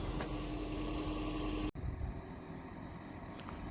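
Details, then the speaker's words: 2007 Toyota Prius Mk2 1.5 VVTi hybrid, idle forced by running electrical loads on a freezing night, after a simple exhaust blow fix: steady, quiet, even idle with no exhaust blowing; normal idle. "my heart free is up as you can probably hear it is ticking over there's no more blow from the exhaust so i'm really really happy that was such a nice simple fix"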